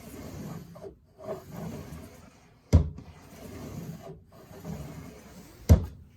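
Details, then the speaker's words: Kitchen drawer, full of contents, glides in and out with a soft rubbing hiss and a thud at each stop. No squeak after DOOR-EASE lube stick was applied to the track. "No more squeak. So I've taken the DOOR-EASE to the other squeaky drawers, and now no more squeak."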